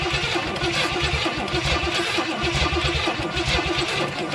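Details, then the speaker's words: 1970 Pontiac Tempest cranked with ether: steady starter cranking with even compression beats and no firing; the points are not delivering a consistent spark. "I tried to cough a little bit, but even with ether, it won't start. I gotta check spark."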